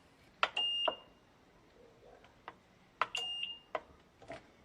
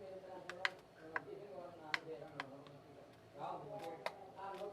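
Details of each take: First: Digital rice cooker that won't heat, 12 V supply restored: button beeps and a faint relay click on start, relay switches but no 220 V reaches the heating element side; no power to the heater. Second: Digital rice cooker after replacing relay and capacitor, 12 V present: few crisp sharp clicks as start pressed, relay pulling in, heating element gets 220 V; switching works normally.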